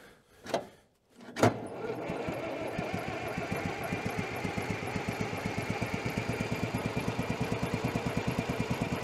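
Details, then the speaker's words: Allis-Chalmers track loader after sitting many years, restarting on a jump pack: slow, even cranking thumps, about six per second, without catching; cranks but won't fire, fuel prime suspected bleeding off while it sits. "I think we're also losing our fuel Prime here when this thing is sitting it's bleeding off the fuel Prime pretty"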